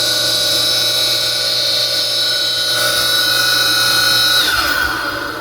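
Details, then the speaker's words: Pool pump motor: shrill, steady squealing whine from worn-out cheap bearings that fail after a couple of years. "they should really fit some decent bearings otherwise they just last a couple of years and they start squealing like a banshee"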